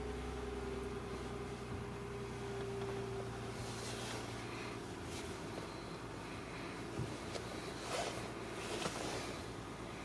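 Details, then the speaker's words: 2010/2011 Toyota Sienna after replacing strut assembly (strut mount suspected cause) on one side: turning steering wheel gives only low soft hum, no screech that was heard especially turning right before repair. "oh it's already fixed yeah that's a fix before you can hear it right away when you turn this especially turning to your right"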